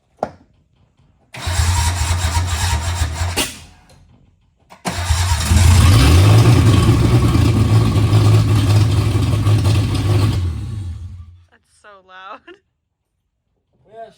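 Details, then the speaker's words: 1976 Datsun 280Z, first start after sitting 15+ years, aftermarket EFI on a base tune; cranks, stumbles, then catches with a harsh, loud, uneven rev before dying. Rough, angry running on the untuned base map. "she turns on very angrily, but there's a reason for that. What's the reason for that? Our bass tune that's on here."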